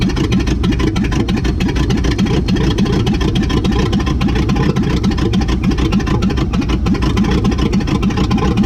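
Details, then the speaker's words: 1959 AMC Rambler Ambassador V8, first start after sitting in a Texas field since 1982: loud, deep, open rumble with an uneven, stumbling beat, misfiring on weak cylinders; the dual exhaust has fallen off and rat debris came out. "looks like we got a runner boy the dual exhaust fell off"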